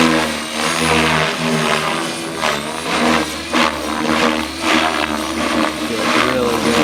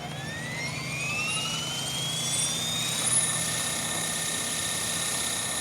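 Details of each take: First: Blade Fusion 480 Stretch helicopter with Spektrum 6250HX during tuning flights: rotor whine dips and surges unevenly with softening, wavering pitch; flight battery running low, head speed sagging. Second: Blade Fusion 480 Stretch helicopter with Spektrum 6250HX, after lowering tail I gain to 65: smooth rising rotor whine settling to an even high hum with no wagging or pulsing; tail holding steady.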